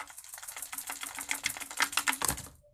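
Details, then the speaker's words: Oleo-Mac 937 chainsaw fuel tank being shaken while draining fuel: quick irregular hollow clicks and rattles from the fuel filter that came off its line and lies loose in the tank, letting dirt into the carburettor. Loose fuel filter. "фильтр он просто болтаете вернее он лежит в бочке проблема от чего это все происходит это от того что у нас фильтр слетел"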